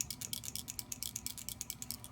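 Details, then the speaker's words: Graco 3900 LineLazer pump piston with new lower packings after repacking, shaken: crisp, light ticks about eight times a second; the check ball moves freely inside as it should, and without the ball it will not pump. "Ball's got to be moving in there. You got to have a ball."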